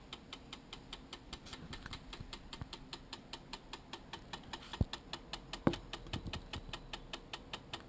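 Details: Sigma 10-20 camera lens making a light, steady clicking about four times a second, with a couple of sharper handling knocks; cause unknown, owner seeking a fix.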